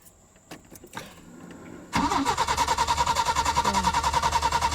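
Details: 1986 Peugeot 505 V6 with months-long intermittent injection/no-start issue, engine speed sensor checked OK: starter spins at a steady three and a half turns a second, never catches. Crank no start.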